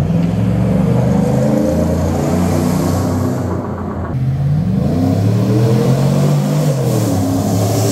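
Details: 2017 Chevy Silverado 5.3 V8 with cheap aftermarket long-tube headers, after the exhaust leaks were fixed and a small resonator added. A deep, even rumble rises and falls smoothly with the revs, with no ticking or puffing; a healthy, sealed exhaust.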